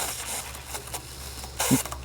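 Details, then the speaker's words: Simpson 3400 psi, 2.5 gpm pressure washer with new OEM axial cam pump 520004, water on, first run with an empty pump: irregular hissing spits and gurgles as air is pushed out of the pump and line while it primes. "You don't want that air in your pump when it starts to pressurize. Best thing to do is just let it run for 30 seconds, 60 seconds, a minute. Again, this was an empty pump, so it had no water in it, so it had to prime."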